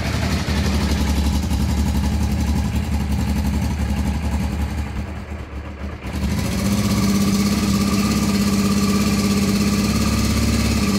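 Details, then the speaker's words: Honda Transalp twin, not started for a while, test-running a repaired ignition module: catches and settles into an even idle firing on both cylinders, tachometer working, warming up, mower droning nearby; runs normally. "dobra obrotomierz chodzi pali na oba cylindry lekko zagrzeje na tym module żeby już tak normalnie sobie perkała"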